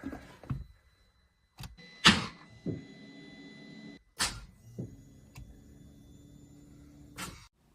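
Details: Mini John Cooper Works bought as non-runner, after new starter fitted and codes cleared; each key turn gives a sharp click and faint electrical hum, engine never turns; starter not cranking from poor starter earth.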